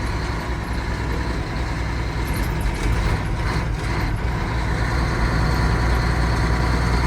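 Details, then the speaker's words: 1985 Mack R Model diesel truck after starter replacement: deep, even rumble, no knocks or misses, smoke from exhaust, voltmeter about 13, oil pressure good; water temperature gauge not working, wire possibly disconnected; running okay. "See all the smoke coming out the exhaust in here. seems to be running okay. The voltmeter is at about 13. Oil pressure looks good."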